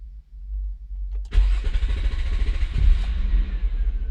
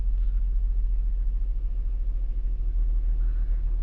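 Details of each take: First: 2002 Nissan Maxima 3.5L with code P0335; several seconds of low, uneven cranking before the engine catches and settles, long crank from a crankshaft position sensor circuit fault. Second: 2002 Nissan Maxima 3.5L, P0335 crankshaft position sensor long-crank complaint, after repairing signal wire shorted to ground beneath engine cover: quick crank then low, even rumble with no misses or stumbles; normal idle, fix confirmed.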